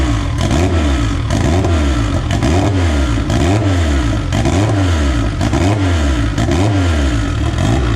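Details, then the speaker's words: AWD EG Civic on first start after build, running a borrowed 2000cc-injector tune; good oil pressure. Crisp rev blips rise cleanly and drop back to a steady idle, no knocks or misses; engine sounds healthy and peppy. "it seems to run pretty good it's got good oil pressure uh it sounds really really healthy uh really peppy revs up really really nice"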